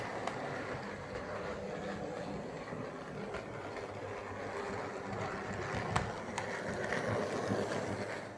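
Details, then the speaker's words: Hornby R316 LNER Class J83 0-6-0 model tank locomotive, made 1997/98, about 20 years old; soft even motor whirring with faint rail clicks, no grinding or stutter, quiet and smooth: normal running. "when I ran this thing I was astonished I mean let's just put it on [Music] it's so quiet and smooth"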